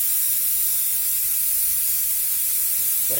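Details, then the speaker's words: Car tyre puncture hole deliberately enlarged with a drill to fit bigger repair-screw plug; loud steady high hiss of air escaping fast through the hole. "I have the bigger plug, if you can hear me over the hissing air."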